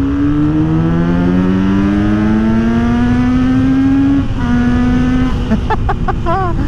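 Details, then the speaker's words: Kawasaki Z900RS inline-four with full-system exhaust, opened up on a bridge while riding: clean rising howl climbing smoothly through the revs, quick shift, then backing off; healthy free-revving classic sound. "that is just absolute squid porn right there classic sound yeah that is that is just so much fun how could you not love that sound"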